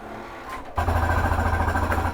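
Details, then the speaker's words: Flagstaff Superlite 29BHS travel trailer, living room slide being brought in: motor whirrs, then loud buzzing growl with rapid chatter for over a second as slide bottoms out; normal end-of-travel reset, does no harm. "to hear that noise. That noise is okay. All it is it's bringing in, resetting your slide. Just setting itself. It doesn't hurt it at all to hear that noise."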